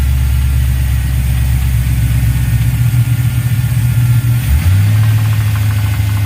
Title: Ls Knocking noise